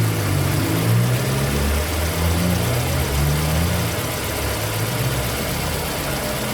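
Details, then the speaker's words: Fiat Palio at about 99,624 km, after timing belt replacement (Daico belt) for a belt noise complaint: steady low hum at idle with no chirp, rattle or belt whine; healthy idle. "Zero barulho."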